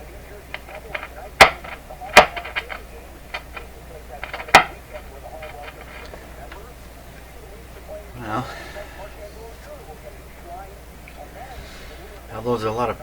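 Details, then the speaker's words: Westinghouse 636 tube radio during final IF alignment: sharp irregular pops and crackles whenever a tube is moved, from poor tube-to-socket contact; it otherwise operates consistently and is judged good enough as is. "its operating consistently even though it's popping at times when I move it good enough the way it is"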